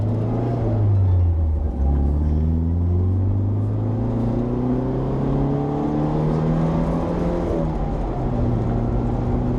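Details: 1967 Alfa Romeo Duetto Spider on its first short test drive after electrical work, carburettor tuning and valve clearance setting: engine pulls cleanly through the gears, revs rising and falling smoothly, no knocks or misfires.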